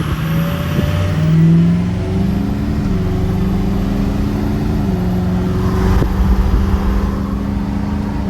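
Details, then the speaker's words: Fresh rebuilt diesel engine (warranty job, new power steering pump with slight whine) on first test drive after reaching temperature: deep, steady drone pulling evenly under full throttle, no knocks, misses or flat spots; sounds and feels good, normal acceleration. "so far I'll buy that I like that that sounds great sounded good felt good"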